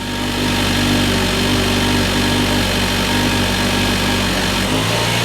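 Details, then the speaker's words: Nissan Juke after addressing a cylinder 2 misfire, with spark and tight spark plugs verified: on restart a steady, even idle hum with constant pitch and no knocks, ticks or stumbles; service engine soon light still showing. "Ready for the moment of truth? Go for it. That sounds better."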